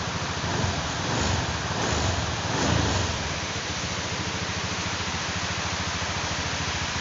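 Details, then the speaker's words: Honda Scoopy automatic scooter after crankshaft bearing replacement, previously noisy after flooding: engine revs and drops back to an even smooth idle with no knocking or rumble from the bottom end; normal after repair. "jadi ini suaranya Udah halus teman-teman Tadi suaranya itu berisik sekali"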